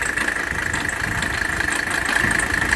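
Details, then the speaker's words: W126 Mercedes 300SD diesel at idle with AC running: constant high-pitched squeal as the AC belt jumps; AC compressor belt squeal, cured by fitting a genuine Mercedes belt tightened properly. "right there where my finger is pointing was my air-conditioning bill now it's jumping up and down and making all sorts of squeaky noises so we have to figure out what's causing that"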